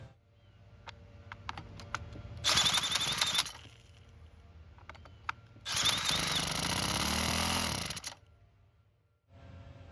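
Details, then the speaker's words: Free Troy-Bilt mini tiller with too much oil, fresh gas, primed and run without the oil-soaked air filter: two short bursts of the single-cylinder engine catching and revving, then dying; it won't stay running, so the carb comes off. "Luckily, it started and ran. However, it didn't stay running, which means we'll continue with the repairs."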